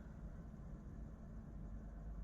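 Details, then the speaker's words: KFA2/Galax RTX 4080 graphics card at idle, not gaming; only a soft low fan hum with no high-pitched hiss or squeal, and the card shows no coil whine even in high-frame-rate tests; no coil whine. "you'll hear that even though I'm not playing a game now that zero coil wine with this card absolutely zero coil line"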